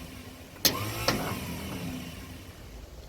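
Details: 1956 Ford truck, 45,000 original miles, sitting about 40 years, after a coil change with spark confirmed and fuel fed: two sharp clicks about half a second apart, no cranking. Owner suspects a sticking starter Bendix; mice droppings later found in flywheel cover.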